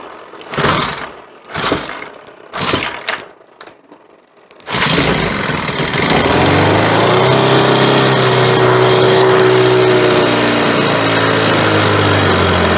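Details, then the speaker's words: Troy-Bilt four-stroke weed eater with replacement carburetor and new spark plug, running yellow-tinted stale gas: several pull-starts, then catches with an uneven, wavering note that never settles; stale fuel causing stumbling. "Then after that I went ahead and tried to start it with the bad gas Here's what it sounds like with the bad gas when you try to start it"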